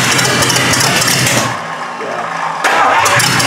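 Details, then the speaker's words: 1953 Hemi engine on a start attempt: it catches, then sags and nearly dies before picking back up, acting flooded. Stumbling, uneven running; a sticking valve is suspected, not confirmed. "Then it act like it flooded or something. You got it wide open? Nuh-uh. We got a valve sticking."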